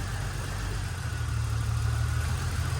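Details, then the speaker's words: Holden VY Calais L67 drift car, injector cut test starting with cylinder 6, then 4 and 2: steady low idle sags and roughens when injector unplugged, so that cylinder was firing; idle drop with one injector unplugged. "So that makes a difference. as does number 4. Number 2 is a bit harder to get on. That one definitely makes a difference."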